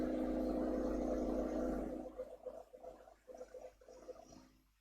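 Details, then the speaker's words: Woodturning lathe shaping a bowl held only by a small screw: steady hum, then a stuttering cut pulsing about four times a second as the tool chatters because the workpiece is unstable. "You can hear the chattering which means that is a little bit unstable."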